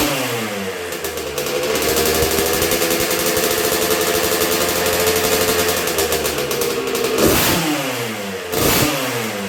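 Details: 1986 Honda CR125R two-stroke on a break-in heat cycle after a new .060-over Wiseco piston top end: crisp, eager buzz climbing cleanly on light, barely-any-throttle blips and dropping back quickly; healthy, responsive engine.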